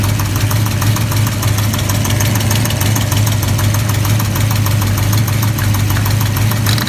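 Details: V8 at rough idle after first start. A light, quick tick runs through the rumble. Earlier it popped badly and ignition timing was rechecked. Owner suspects a rocker arm hitting the valve cover, a loose rocker arm, or a bad lifter.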